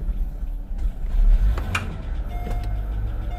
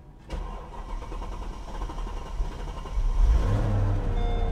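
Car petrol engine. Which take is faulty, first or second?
first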